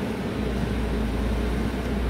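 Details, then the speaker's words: Ford EcoSport at idle, no throttle, with headlights high beam and air conditioning switched on: steady low drone whose speed rises and falls; idle oscillation under electrical load, mechanic suspects the alternator. "já começou apresentar falha é tô vendo eu não tô acelerando não é bom"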